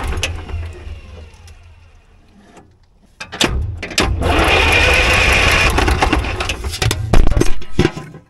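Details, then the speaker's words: Allis-Chalmers track loader diesel, revived after sitting many years, cranked by the starter with an injector line fitting loosened to bleed air because the bleeder screw is inaccessible; steady churning, no start until fuel appears. "so I'm going to crank the engine over and it should push fuel out right here you guys just holler when the fuel comes and I'll come tighten it up"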